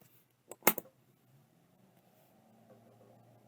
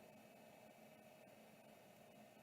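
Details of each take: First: Seagate ST157R RLL hard drive on power-up: sharp clicks, then faint low hum that never climbs to spin-up whine; platters not reaching speed, stiction suspected, shaken to free it, cause not confirmed. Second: Vintage Samsung SHD-240N motor-actuated hard drive, parked, powered up: quiet steady hum with faint even whine, no grinding or rumble; spindle bearings and drive sound healthy.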